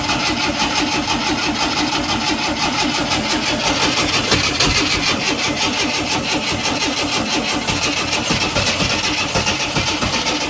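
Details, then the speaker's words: 1976 AMC Gremlin after 32 years sitting, on jump pack: long cranking with uneven catches and stumbles never picking up; no start, suspected ignition timing too far off since it was set by guesswork. "So it's trying to start, but I think the timing is just too far off."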